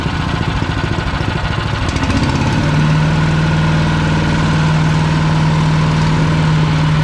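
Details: PowerMate 212cc wood chipper single-cylinder engine: runs steadily, then a constant low hum sets in and holds; unfamiliar running noise, cause not identified.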